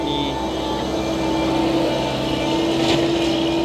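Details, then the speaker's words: Diesel at idle, hot, before the injection pump is re-timed: steady mid-pitched whine over the idle, absent when started cold; thinner hot fuel is thought to leak internally in the injection pump, causing the whine, which is gone after re-timing. "ที่เสียงหอนเนี่ยอาจจะเป็นเพราะเนี่ยเวลาที่สตาร์ทเครื่องขึ้นใหม่ไม่มีเสียงครับเวลาที่ร้อนแล้วมีเสียงมีเสียงหอนครับ"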